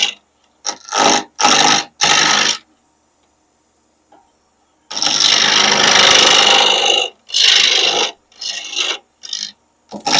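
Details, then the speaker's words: Wood lathe at 1588 rpm turning a Halloween decoration blank with a spindle roughing gouge. Rough intermittent knocking and chattering shows the blank is not yet round. "That sound, that knocking sound tells me I'm not to round yet."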